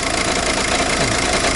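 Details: Steady engine idle with a busy, fairly high-pitched mechanical clatter. The check engine light is on and a scan shows an ECU communication loss. The boss suggests the clutch adjusting causes the noise; the source is unconfirmed.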